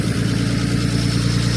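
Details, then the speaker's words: Nissan R32 Skyline RB20 on first start after engine install, no coolant in it yet: even idle with a light, fast ticking over the rumble; hydraulic lifters still bleeding up, noisier than owner likes, expected to quieten with more run time. "waiting for the lifters to bleed up a little bit in the H to be honest so a little bit noisier than I'd like but everything is good just needs a bit more run time I dare say"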